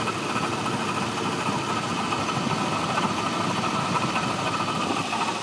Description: 1989 Jeep Cherokee 4.0 inline 6, 227xxx miles. Started knocking.